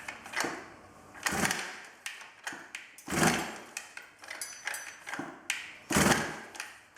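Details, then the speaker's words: 110cc midsize off-road pocket bike unstarted for two years, key on, choke on, primed: repeated rasping pull-cord strokes every few seconds, no firing; cranks but won't start, cause unconfirmed, spark plug, coil and carburetor fuel to be checked. "it's fairly obvious by this point it's not going to start there's a few things we can check we can check the spark plug we can check the coil and make sure that's getting spark"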